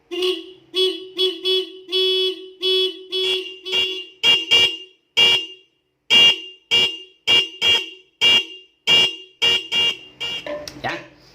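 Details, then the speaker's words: Motorcycle stock horn and added treble horn, Avanza-style: run of short sharp honks, low and high tones together, clean and strong; normal working dual-tone horn. "Kayak ya mirip Avanza KW gitu, maksudnya seklaksonnya klakson KW, bukan Avanza-nya yang KW. Ya klakson Avanza KW lah gitu. Tuh, bunyinya seperti itu."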